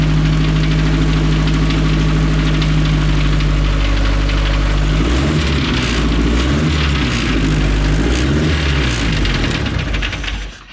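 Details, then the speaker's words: 1932 Ford Model A dirt track speedster race car, restored Ford Model A overhead valve conversion four-cylinder, big open 4-inch exhaust: deep lumpy beat settles, blips up and back, fires evenly with no misses or knocks; normal running. "Big old 4-inch exhaust pipe over there belting out the notes."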